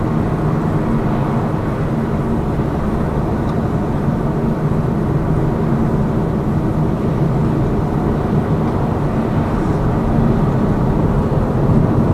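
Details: Lada Vesta Cross with AMT 2.0 robotized gearbox, fully loaded, driving on partly bad roads, rail crossings and bridge joints, head-mounted action camera: steady road and engine rumble, no thumps after shock absorber struts were replaced; knock gone.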